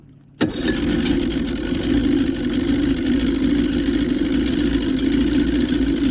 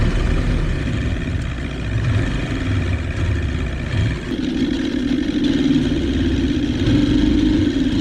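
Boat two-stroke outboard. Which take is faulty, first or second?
second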